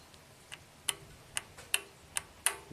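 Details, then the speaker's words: Astra, brand-new dealer VVT oil control solenoid on click test (fixing P0014/P0016 codes): crisp, even single clicks about every half second to second, quieter than before now that it is full of oil; normal solenoid click. "It clicks very consistently, not as loud as it did before because now it's full of oil."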